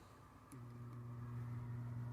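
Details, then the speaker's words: Transformer under heavy reactive load, 4 µF capacitor in series, secondary feeding 16.2 V across a 50 ohm resistor: loud steady low hum with rough growl and massive current draw; saturation suspected, not confirmed. "you hear it kind of growling and it's got massive uh amp draw"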